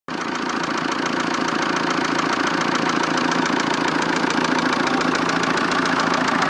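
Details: 1.9 JTD diesel at idle: sharp, regular knock about three or four times a second over the steady idle; diagnostics said an injector is unlikely, source unknown.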